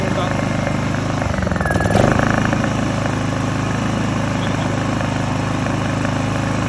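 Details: Honda EU2000i (EU20i) inverter generator idling after a fix for rough idle and poor starting blamed on stale fuel; steady, even hum with no surging or hunting, where a faulty one would hunt badly. Normal idle.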